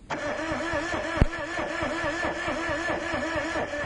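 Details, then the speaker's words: Car with a no-start, cranking during a spark test on a plug wire in daylight: a steady starter whir with even compression pulses about four a second and no firing; the spark is extremely weak, jumping under an eighth of an inch. "okay stop okay i don't know if you could see that guys but there was an extreme anemic spark um it probably didn't show up on camera because of the daylight"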